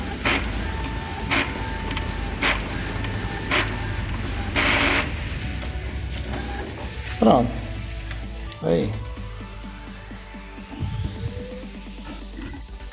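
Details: Epson L210 EcoTank after fixing all-lights-blinking fault by cleaning the scanner flat cable contact: separate clicks and rising motor whir as paper feeds and carriage sweeps, evenly paced with no grinding; normal copy operation.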